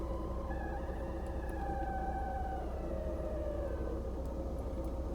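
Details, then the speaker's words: 1992 Mercedes 300E W124, climate control failing: A/C and blower quit, hot air at all vents, recirculation light flashing, 82°F outside, engine near 100°C, 13 V; steady blower rush with thin wavering tones, cause not yet traced. "that weird noise so now it's gonna have heat"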